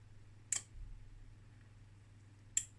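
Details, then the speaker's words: Sagitta/Zhaoxin RXN-303D 0-30V 5A bench power supply under repair (shorted 2N3055, bad opamp supply): two sharp single clicks about two seconds apart over faint mains hum as its two relays switch its four ranges; normal relay switching. "okay so we've got four ranges with two relays right"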